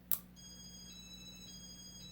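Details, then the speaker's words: Late-1980s Casablanca Four Seasons 48" ceiling fan with Inteli-Touch control: reverse is requested by pressing two buttons, giving a click and a high-then-low tone. No reverse relay click follows, so the fan stays in forward. "See, it does the high-low, but you don't hear the relay click. And as a result of that, when you turn it on, it's still in forward."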